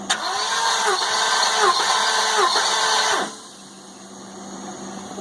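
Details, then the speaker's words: Compression test on the 550 engine, third cylinder back, checked after a noise suspected to be an unpumped lash adjuster. Starter cranks evenly for about three seconds with a steady, regular pulse. Reads 170 psi. Good compression. "that 170 pretty good I'm can't say I'm disappointed"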